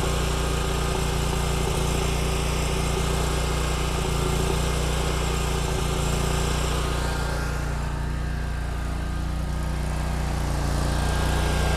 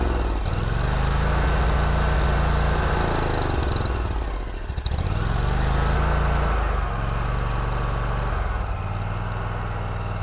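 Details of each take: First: Kubota Z122R Kommander mower with new carburetor: fires right up and runs steady and even once off choke, no missing or surging, fuel filter filling. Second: Kubota Z122R Kommander mower with a long-running fuel problem; runs only with the choke on, chugging unevenly and sagging as if fuel-starved, and dies when the choke is opened; fuel delivery suspected, with a new carburetor and fuel pump being checked.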